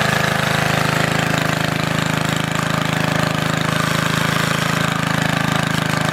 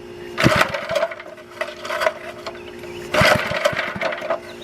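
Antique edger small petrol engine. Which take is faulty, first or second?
second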